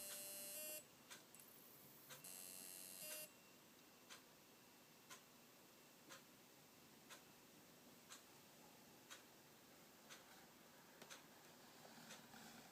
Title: WD My Live Book (NAS) drive making strange Noise